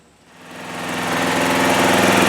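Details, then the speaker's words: Trailmaster go-kart small petrol engine, which sat over a year, after its carburetor was cleaned twice and the too-fast idle adjusted down: it fades in and settles into a steady, even idle with regular firing pulses, running normally. "Well, that sounds a lot better at idle, doesn't it? Yeah, that's much better. Much better."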